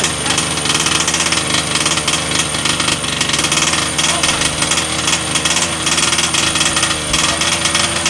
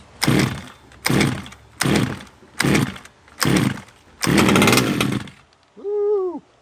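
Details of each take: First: Redcat Rampage XT RC monster truck two-stroke after new carb and NGK plug gapped 0.025 in, blowing some oil on bench: high rattly buzz with loose burbling note sagging before cutout; running rich, low needle to be leaned. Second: Redcat Rampage XT monster truck small two-stroke after a new carb, spark plug and power switch; crisp throttle blips about once a second, catching cleanly each time; running normally.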